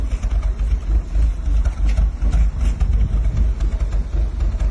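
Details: Audi engine at low idle with uneven stumbling pulse, beats dropping out irregularly; misfire, cause not identified.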